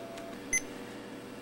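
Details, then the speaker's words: Toshiba Portege Pentium II laptop that won't power on: two short, sharp high-pitched beeps about a second apart when switching off; RAM issue suspected, cause unknown. "sure as you can hear i just tried to turn the machine off it's definitely got some kind of a problem"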